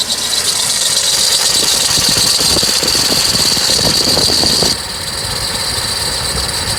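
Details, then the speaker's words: 2008 Chevrolet Colorado 2.9: shrill continuous squeak over a rattly idle, cutting off abruptly; coolant slightly low with an antifreeze smell, and the water pump pulley wobbles visibly as it spins, pointing to a worn water pump bearing. "you can hear it squeaking and it was wobbling as it was spinning"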